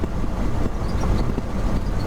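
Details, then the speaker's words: 1969 Ford F-350 with swapped 352 FE V8, pulling in third gear on the road: deep even rumble under load, no knocks or misses; plenty of power, normal engine under load. "third gear yeah i think the engine's running pretty good it's got lots of power"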